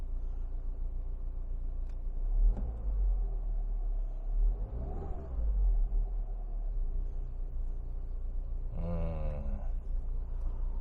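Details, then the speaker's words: Used R56 Mini Cooper S, check-engine light on, shortly after start: the low idle surges and sags unevenly, hunting, with slight rattling; it stalls under air-conditioning load. A recent VANOS solenoid valve replacement helped; the cause is suspected but unconfirmed, pending log analysis. "結構ね不安定になってしまうことが最近多くなって、でまたねちょっとログ解析の方をねしていきたいと思います。"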